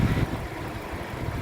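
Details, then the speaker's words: Suzuki Ertiga 1.4 GX manual 2015, 1400cc 4-cylinder front-wheel drive, about 87,000 km: steady, smooth, even low idle hum with minimal vibration and no knocks; normal healthy idle. "Nah untuk memperhatikan kondisi mesin masih bagus kita bisa pertama kita dengarkan e ritme suaranya jadi ritme suara mesin yang bagus dia Suaranya masih halus konstan getaran mesinnya juga minim"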